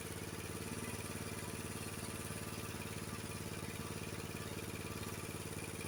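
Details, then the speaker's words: Honda HS724 snowblower, rough-running and hard to start when cold, after choke adjustment and resetting idle and fast-throttle speeds by tachometer (fast throttle had been around 3800 rpm, spec about 3600); even, steady engine note with no misses or hunting: normal running at set speed. "so now my my uh my throttle my idle speed and my throttle is uh fast throttle is correct and I'm going to start up the engine and show you"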